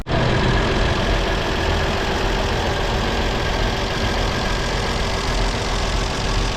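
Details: 1937 Chevy Master Deluxe coupe warmed up after a long sit, with oil pressure around 18–20. A smooth, even low-rumble idle with no knocks or misses, running healthy.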